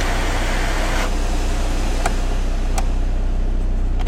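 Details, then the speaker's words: 52-plate Ford Focus 1.8 TDdi Ghia after heater blower resistor replacement, in neutral: steady even rush of air over a low hum with a few clicks; variable blower fan speed control working normally. "That sounds like variable fan control to me."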